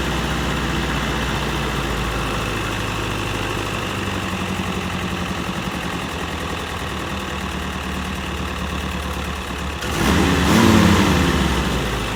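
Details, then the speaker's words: M151A2 MUTT four-cylinder after a valve adjustment that took up sloppy lash, with idle set down from too high: even, steady idle with one brief throttle blip, smooth and healthy; now pulls 55–60 mph. "that sounds a thousand times better I know what it sounds like on camera but I ain't messing with it"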